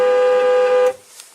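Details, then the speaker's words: 2004–2008 Ford F-150 (2005-on): the horn blasts steadily at one pitch by itself, then cuts off abruptly when the horn pad is lightly tapped. Owner believes the horn switch is sticking rather than another part. "going off constantly so like when I came out and my home was just constantly honking I could come in here and I could just lightly tap this and it would stop it from honking just like fairly lightly so that leads me to believe that it's in the switch and not in anything else"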